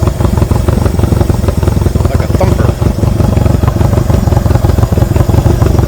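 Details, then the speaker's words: 1963 Honda CA95 Benly (Baby Dream) barn-find motorcycle with original parts, idling after sitting with oil; crisp, even thumping small twin with no knocks or misses, no oil leaks found, sounds healthy. "Wow, what a cool sound."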